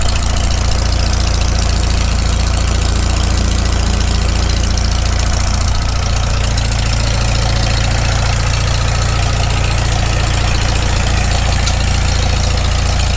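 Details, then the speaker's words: Farmall Super M tractor cold idle right after first start following full rebuild, choked a little, initial carb settings: steady, even low putter about three and a half beats a second, no misses or knocks; idles down not too bad. "it doesn't idle down too bad given just it's the initial carb settings"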